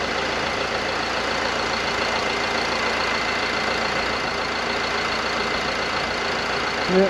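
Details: Mercedes Sprinter van diesel at a steady, even idle with a constant hum and no knocks or surging, started after fitting two new vacuum control valves and checking them with a vacuum gauge; runs healthy, normal idle.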